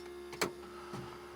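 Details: 1978 Ford F-250 4x4 351M abandoned 29 years, auxiliary electric fuel pump and filter fed from a jerry can: steady electric hum, light buzz and splashy clunks as fuel squirts through; normal pump operation.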